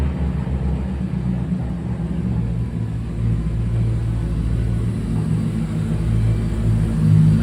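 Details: 2005 Mercedes C55 AMG, M113 V8, just after fuel pump replacement for a crank-no-start fault: first start after the pump primed, steady low even rumble with no misses, knocks or surging, still cold before warm-up; normal idle.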